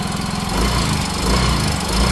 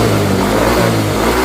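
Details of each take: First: Yamaha Mio 125 / Fino / Soul GT / Mio M3 scooter: a rough, uneven top-end clatter pulsing in slow waves over the idle. The rocker arm checked good, and a worn camshaft was replaced. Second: Yamaha Mio 125 / Fino / Soul GT / Mio M3 scooter after camshaft replacement for rough noise, rocker arms found good, idle set at the plastic air idle screw: smooth even engine note revving cleanly with no top-end ticking or rattle.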